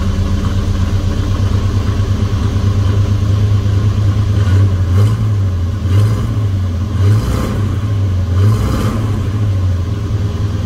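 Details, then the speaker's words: 1971 Dodge Coronet police car, 4-barrel 383 big-block V8, after sitting since the early 1990s, new plugs, wires and oil: deep steady idle with a couple of gentle blips, even firing; "purrs like a kitten". Normal idle. "well I sure can't be any happier at this point the thing purrs like a kitten"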